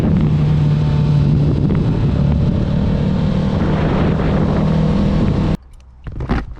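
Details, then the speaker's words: 2022 Kawasaki Ninja 650 riding after refitting windscreen and tightening its two screws and the mirror screws: steady engine drone with no buzzing or rattling from screen or mirrors; vibration mostly gone. "Okay, so as I was saying, as you can see, the vibration is mostly gone."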